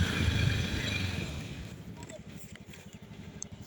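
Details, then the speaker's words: 2017 Honda Scoopy scooter, over five years old, road test after routine CVT service for rattle and jingle noises: low, even putter about four beats per second with no rattle; servicing alone fixed it, no parts replaced. "Ee tidak harus ganti part ya, cukup di servis saja sudah cukup."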